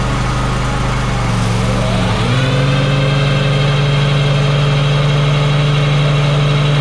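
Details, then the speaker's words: Walker mower gearbox-driven deck (PTO, not belt spindles), drive engaged during repair test: loud steady low hum settling into even drone; typical normal Walker gearbox sound, nothing irregular. "Okay, that sounded perfectly fine. That's exactly what a walker should sound like. You get that loud humming."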